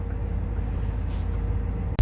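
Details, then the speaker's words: 2004 Itasca Suncruiser RV, about 90-96K miles, idling after a fuel filter replacement; the owner expects possible brief misses while air works through. A deep, even idle rumble with no obvious misses, settling to a normal idle. "it may it may miss a minute once that air gets worked through and i'm gonna let it run and i'm gonna go check for leaks"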